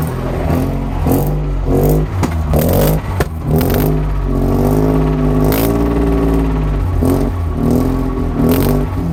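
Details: Mazda RX-8 rotary engine revving: a loose metallic clatter rises and falls with the revs, mostly early in the clip. It is a rattling noise from the engine area, cause unidentified.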